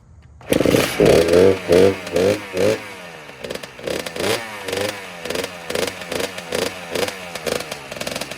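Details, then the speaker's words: 2009 Kawasaki KX85 two-stroke after rejetting from 35 pilot/135 main to 40 pilot/140 main: crisp start, then clean throttle blips rising and falling sharply without bogging or popping; now running properly as it should. "Well, it sounds like it's running a lot better, so that's good. That's how it's supposed to sound."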